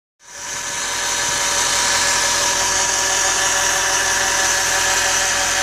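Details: Audi A6 C6 2.0 TDI (BRF) idling with steady high-pitched whirring hiss from the belt drive; alternator bearings, alternator pulley, belt and tensioner replaced without effect, noise finally traced to the worn belt guide/idler pulley (03G145276A).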